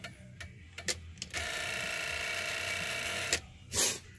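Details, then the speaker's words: Ford Excursion with low-draw amber LED turn signal bulbs on standard flasher: instead of an even blink, relay gives a fast buzzing chatter for a couple of seconds, turn signal hyperflashing. "So much voltage, so low voltage, it just doesn't blink. It's trying to, or it's blinking really crazy fast."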